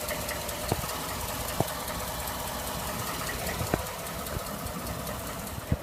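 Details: 2011-2012 Ford F-150 5.0 V8 at idle: quiet idle with occasional sharp, irregular ticks about a second apart; engine knock/tick that Ford says is normal and not fixable, cause not pinned down.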